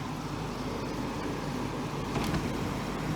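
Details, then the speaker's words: Portable air conditioner after repairing the overheating exhaust-side fan motor that previously let it run only minutes: steady fan rush over a low hum with no rattle or labouring. Unit now working and producing cold air. "it's one of the batch we've not previously working that's why the unit was overheating evaporator y smokes it is working now"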